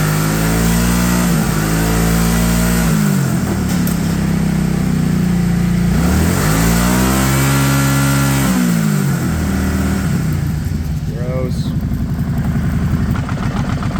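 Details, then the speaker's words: Kawasaki Prairie 650 ATV that sat for 8 years, revived after a mouse nest was cleared and the airbox refitted. Two throttle blips swell and fall back smoothly, then a steady, even idle holds by itself without hunting or stalling. "okay we're going to let this thing run for a little bit we'll make sure our fan kicks on and yeah and then we'll probably try to take it for a drive"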